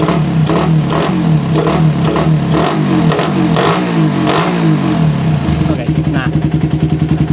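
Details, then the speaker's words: Suzuki Satria FU with PE 28 carburetor, before head nozzle change: revs rise from idle with a brief slight bog between low and mid rpm. "ada sedikit ngok di antara ya RPM bawah menuju tengahnya kurang lebih ada sedikit ngok Ketika saya setting angin mencari Idal ter stabil ya pokoknya Idal paling stabil"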